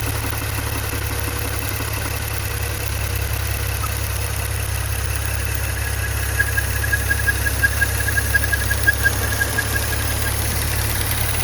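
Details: Maserati Ghibli/Levante V6 at steady idle with a faint high chirp coming and going near the end. PCV (oil vapour) valve squeak from a hole in the diaphragm, fixed by replacing the PCV valve assembly.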